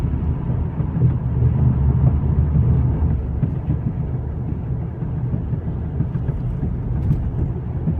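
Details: 2013 VW CC R-Line driving at speed with a low, rough, pulsing road roar without clear rhythm; tire noise, cause unclear.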